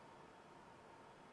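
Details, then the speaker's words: Flashforge Adventurer 5M Pro CoreXY printer idling with lid and doors closed, mic at arm's length, about 41 dB: soft steady hotend fan hiss with faint high tone, part cooling fan stationary; normal quiet idle. "wow 41 decibels and that's with the hotend fan on and possibly the part cooling fan now the park cooling fan is stationary right now that's just with the hot end fan but with these doors closed this machine is exceptionally quiet"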